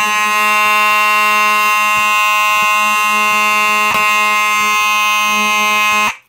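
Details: Simplex 4903-9219 rectangular horn strobe from 1997, activated by a pull station: a loud steady buzzing horn tone holds evenly for six seconds then cuts off cleanly; horn sounding normally.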